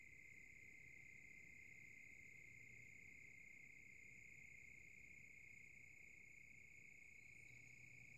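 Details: Silverstone SX-600 power supply (V1.0): the fan slows down and rattles at low speed, with a steady high chirping tone above; this stage lasts a long time.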